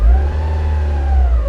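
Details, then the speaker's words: Newly purchased Mazda Miata MX-5 at idle, foot off gas: deep rumble surging and sagging unevenly; rough idle with bad stumble, bogging and apparent misfire. "and my foot's off the gas this is just the rough weird idol"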